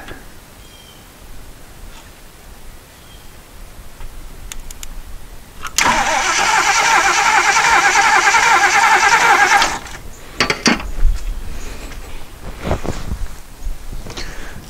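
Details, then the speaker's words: 1977 Jeep CJ-5 that sat about 10 years, cranked by shorting it out to see whether the fuel pump delivers fuel. About four seconds of steady rhythmic cranking with no firing, and no fuel pumped yet. "okay i'll just short it out up here and just run the starter see if we get any fuel"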